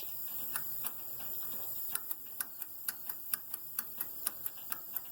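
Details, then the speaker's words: IH Farmall 706 tractor, after sitting over two years: fuel shutoff solenoid cleaned of corrosion and reinstalled; crisp light clicks with each key on/off in a quiet setting, solenoid energizing normally. "you hear that that was me turning the key on and off uh so if you ever wonder what that is or if it's working a good thing to check first before you take it off is it clicking"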